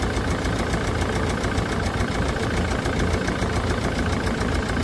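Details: Land Rover Defender Puma 2.4 TDCi, first run after rebuild with new wiring loom and oil pump, during coolant fill and bleed in cold weather: steady rapid diesel clatter at an even idle, no stumbles or odd knocks; healthy idle.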